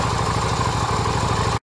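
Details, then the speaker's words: Yamaha XV250 V-twin just after a valve adjustment, plugs reinstalled and started on choke: the low idle thumps slightly unevenly before cutting out. It is running a bit rough, cause unconfirmed; the valves are much quieter than before. "make sure everything starts up right it's running a bit rough"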